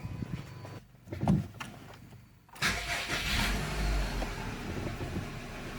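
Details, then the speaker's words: 2008 Subaru Outback, EJ25 non-turbo 4-cylinder, 5-speed manual, about 96,000 miles, hot restart after stalling: cranks, catches, settles into uneven lumpy idle that worsens; failing ignition coil. "So eventually stalls as you can see there uh it'll start back up uh it won't be happy and it'll just kind of get increasingly worse"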